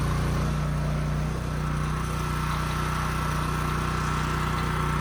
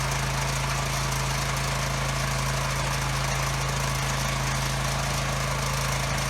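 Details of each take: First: Husky generator revived after 5 years sitting with bad fuel and leaking tank, carburetor cleaned, new governor spring fitted, running outdoors near 61 Hz: steady, even drone holding one speed without hunting or surging; governor holding well, runs healthy. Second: Husky generator that sat 5 years with bad fuel, running on a temporary fuel line. It gives a steady drone with a low, lazy pitch and blows a lot of smoke while making power; output is only about 53 Hz, below governed speed.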